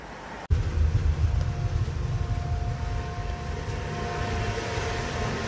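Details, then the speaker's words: Hyundai Galloper LPG vaporizer engine, towed in for no-start, after repair: engine catches and settles into an even, steady low rumble with no stumble or misfire; running normally again. "정상으로 돌아왔습니다"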